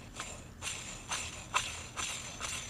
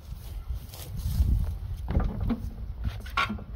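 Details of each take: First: Old John Deere mower deck idler pulley, bearing packed with grease, hand-spun with a gritty, jingling rasp about twice a second: rough bearing, still not great; all 3 deck idler pulleys need replacing. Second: Old John Deere mower running after mower deck spindle repair, fixing an earlier odd noise with smoke. After clattering handling, the engine fires and settles into a strong even run with no squeal or knock.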